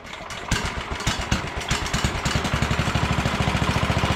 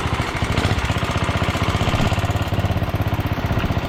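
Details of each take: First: 1967 Sears Suburban 10 tractor single-cylinder engine during restoration reassembly, first start on choke with throttle cable unhooked, muffler loosely fitted, carburetor being adjusted; uneven hunting beat, RPM changed when brake cleaner sprayed near intake, vacuum leak. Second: 1967 Sears Suburban 10 single-cylinder engine the day after a vacuum leak was found during restoration reassembly; it now runs better, with a steady, even thump and no stumbles or misses, a normal idle.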